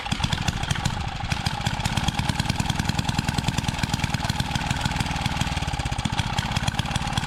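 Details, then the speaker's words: Small single-cylinder edger engine after an oil change: quick, steady, even idle while fuel overflows from a hole on the carburetor; opened up, the float needle is missing, the confirmed cause of flooding. "It's just overflowing through this little hole up there. So, I wonder if there's something wrong with the float and bowl."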